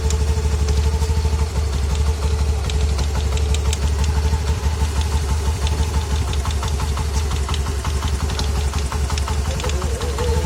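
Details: New Honda Activa 125 scooter idling on its first start of the day or after a long break, with a light, somewhat irregular knock about three times a second; noticed on day 4 and unresolved after three dealer services.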